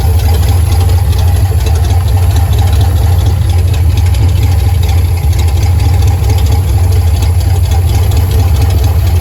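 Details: Carbureted car with ongoing fuel pressure problems idles with a heavy low drone and uneven, lumpy pulsing. Owner says it's starving for fuel, cause unknown; he plans a new filter and carburetor clean. Rough idle.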